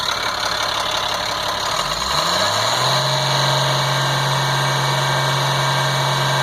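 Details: 1998 GMC C8500, Caterpillar 3116E diesel, valve cover off; short crank, catches without hesitation and settles to smooth steady idle, no miss or flutter; running right.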